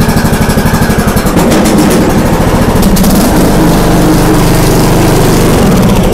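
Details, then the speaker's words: John Deere D105A riding mower after replacing the deck belt: engine catches and settles into a steady, full run with the blades engaged, no slipping or squeal; mowing works. "listen wo we're riding boys it's working let's see no black fire sounds like it's good let's test it"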